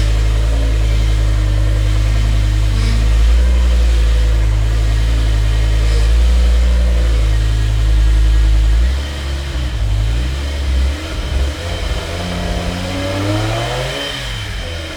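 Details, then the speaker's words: Revived E60 BMW M5, V10, 6-speed manual, salvage car with a previously locked engine: deep rumble at idle and on revs with a thin whine rising with revs from a noisy power steering pump; no check engine light. "I hate that pump. Stop whining. Every time with these power steering pumps. Every single time, same story."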